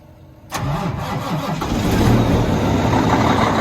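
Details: Kenworth T680 diesel truck that only clicked with a new starter and solenoid, now fitted with a push-button start to bypass a suspected wiring issue: silence, then a sharp crank and the engine catches at once, settling into a steady, even idle.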